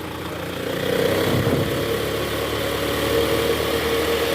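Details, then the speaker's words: Toyota Alphard Gen 1 ANH10, 2.4 L 2AZ-FE, in R with AC on at about 1100 rpm after fan-belt tensioner replacement: steady engine note with smooth even belt whir, no groaning or squeal; weak tensioner spring was the cause; belt drive normal. "Nah ini sesuai posisi awal tadi, masuk posisi R, AC on, digas sekitar RPM 1100 udah nggak ada bunyinya guys."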